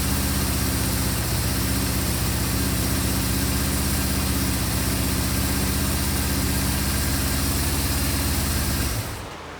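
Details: 1974 Honda CB550 four-cylinder after carburetor synchronization and a full rebuild: a steady, even low beat of about four pulses a second, with no misses or knocks, then shutoff; a healthy idle.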